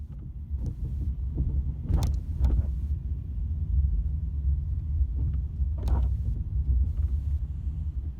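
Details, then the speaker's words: Ford Mondeo driven over a speed bump, mic on the back seat: heavy clunks and knocks through the floor from split rear subframe bushes letting the subframe hit the body, worsening over about 3 years. "So you can hear this rattling right through the floor. You can feel it in the car."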